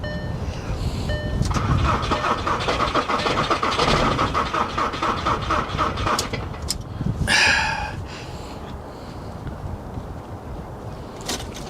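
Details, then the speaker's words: Diesel Nissan Armada on a warm day with the glow plug light blinking, cranked from a booster pack (about 11.2 V): it turns over slowly and unevenly without firing and smokes from the exhaust. The owner suspects the booster pack is running out of charge. "Yeah, it's just not sounding promising, man. She's cranking over real slow. I think if it was busting off a little faster, yeah, probably fire."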